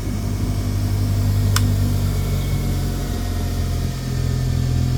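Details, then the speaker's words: Bench grinder on its first run after a capacitor was wired in (unfinished installation), switched on by hand: a steady, smooth, even low motor hum with no grinding or rattles, so the grinder runs properly. "Ah. Look at that. Even the switch works. Okay. Very smooth."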